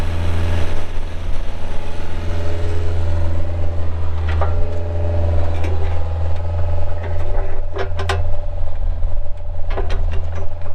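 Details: 2008 Bobcat 430 excavator, pre-emissions Kubota diesel, 2,361 hours, running after startup: deep, steady diesel thrum holding even with no misses or knocks, a few light cab clicks; sounds healthy, normal running.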